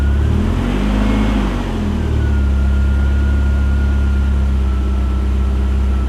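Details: Chevy S10 pickup with modified exhaust, started for third time after sitting 2 years and new battery: steady even low rumble, constant exhaust note, no knocks, misses or surging; clean idle.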